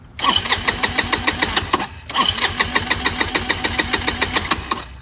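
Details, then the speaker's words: Chinese GY6 150cc scooter with replacement carburetor and old intake manifold: two bursts of steady cranking at about three and a half beats a second, no catch; cranks but won't start without starting fluid. "so I've been messing with this a long time and it's it's not running right still it won't start without starter fluid"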